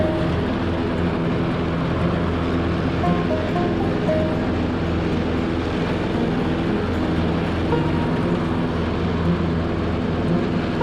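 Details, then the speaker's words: Troy-Bilt 42-inch riding mower, test run and mowing right after fitting new blades to replace damaged ones; steady, even engine drone with a constant low hum and no knocking or scraping: normal running. "It's a good old mower. Cutting good right now, that's for sure."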